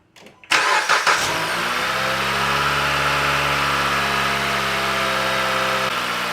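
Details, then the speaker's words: 2018 Dodge Journey 2.4L run briefly with the serpentine belt removed: cranks and catches, then a smooth even idle; the earlier engine noise has mostly gone, so it comes from the accessory drive, not the engine. "didn't hear the noise that much at all. That means it's not anything in the engine. It's something with the accessories and it's going to be a lot cheaper."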